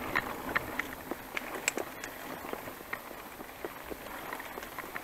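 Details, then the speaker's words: Bicycle ridden outdoors: irregular light crackles and creaks from the saddle flexing under the rider. "trzaski, co tak słychać, to po prostu mój zic, czyli siedzisko."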